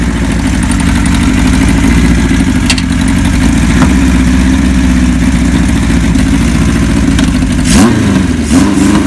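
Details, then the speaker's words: 1976 Kawasaki KZ900A engine test run after a new cam chain, new gaskets and clutch and stator work, fitted with temporary small carbs; it smokes slightly on colder plugs. Steady, even four-cylinder beat with clean throttle blips, no knock or chain rattle: normal running. "now keep in mind well we did was just put a cam chain in it and the gaskets and there's no motor noise or anything like that"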